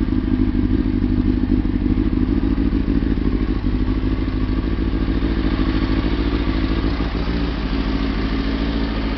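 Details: Kawasaki ZX-6RR motorcycle idling steadily with a smooth, even low burble after its plugs were cleaned, curing the earlier misfire and fluffy running.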